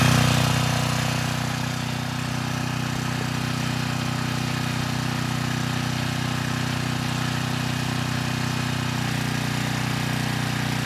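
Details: 6,000 watt Troy-Bilt generator after repair, 15-minute run with a 3000 watt load and 240 volts at the 240 outlet: steady governed drone at constant speed, no surging or misfires, didn't miss a beat; normal running under load.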